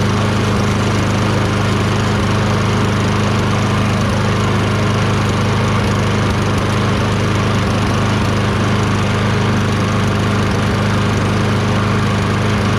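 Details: Toro Recycler 22" self-propelled mower, Tecumseh 6.5HP engine, after carb cleaning with a tiny, possibly clogged jet cleared using a thin wire bristle: steady, even drone with no hunting or stumbling, running smooth, much better now.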